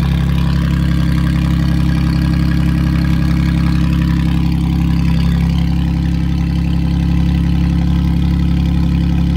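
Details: Car whose no-start was caused by a blocked catalytic converter, with the catalyst now removed: a deep, loud, steady idle through the open exhaust, even and unbroken. Runs fine.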